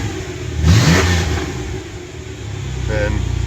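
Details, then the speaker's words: Ford Bronco II with a swapped-in 4.0 six-cylinder, homemade exhaust and small Flowmaster mufflers, finished swap: clean pickup on a throttle blip, settling to a steady, even idle with no misses or knocks. Normal revving. "a little Flowmaster mufflers actually sounds pretty decent for a six-cylinder so"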